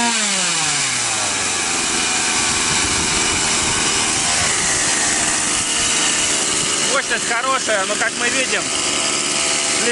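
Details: Stihl MS 180/MS 170 chainsaw with non-adjustable carburetor, after adding fuel by adjusting internal needle lever to cure power loss: holds a high steady buzz off the trigger, never settling; idle speed set too high.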